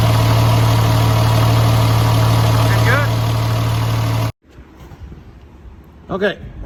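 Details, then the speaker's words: Mega Cab diesel street truck, first start after fitting a new S475 turbo with primed oil feed line: catches and holds a smooth, quiet, even low-hum idle with no knocks or whistles before shutting off. "Well, ladies and gentlemen, I'll have to say I am pretty impressed. It is smooth. It is pretty well quiet until you step into it."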